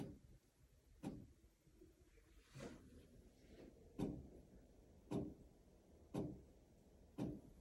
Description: Sometimes the flashing lights make a clicking noise.